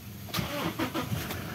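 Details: 2017 Toyota Innova diesel after fuel filter replacement, previously with hard starting, sluggish acceleration, jerking and a warning light. Short crank, then it catches quickly and settles into a steady, even idle with no stumbling: normal start.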